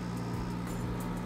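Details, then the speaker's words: Dehumidifier compressor, which had been tripping on overload, now starts with a hard-start kit fitted and runs; steady low hum with constant tone, no clicking or stalling, normal compressor running. "or B this hard start start kit just wasn't quite enough and I'm kind of leaning towards and now it's running on you can hit a"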